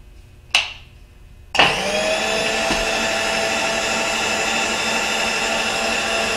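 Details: Bridgeport mill X-axis power feed, newly installed and first switched on: after the switch click the motor spins up to a steady, even whine with no catches or grinding; healthy feed.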